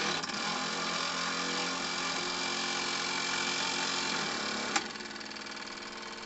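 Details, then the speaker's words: 1 cm³ twin-cylinder model steamboat engine with Stephenson link valve gear, tested on air at about 500 g after 20+ years on a shelf, running in reverse: quick, even chuffs over air hiss; turns freely, seemingly best counter-clockwise. "Et alors du coup j'ai l'impression que maintenant c'est dans le sens contre-horaire qu'il est le meilleur."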